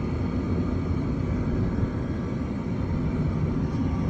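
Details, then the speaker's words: Gas furnace whose heat quit in cold weather, after control board replacement and a flame sensor cleaning: the blower kicks on with a deep, steady rumble of air and no rattles, squeals or cycling. Normal blower operation; repair successful. "Just gonna wait for the blower motor to kick on, and I guess we should be good to go. There's the blower motor just turned on."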